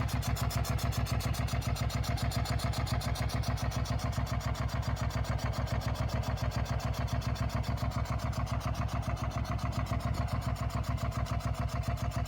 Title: 2004 sv650 engine noise